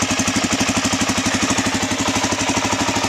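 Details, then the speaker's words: Suzuki DRZ400 after swapping in an eBay engine, cold on choke: quick, even single-cylinder thumping at a steady rate, no knocks or misses; started first try, healthy idle, only an oil leak noted. "the engine was 7 700 bucks um started right up the very first time I hit the button um the only issue was that leak with the oil down there"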